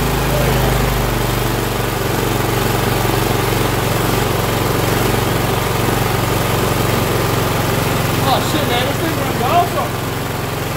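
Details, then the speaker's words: Cub Cadet LT1045 yard tractor (Kohler Courage 20) after carburetor, fuel line and plug replacement: single-cylinder engine runs steady and even, no hunting; it used to surge badly. "That's a fucking win, if you ask me. It used to surge real bad."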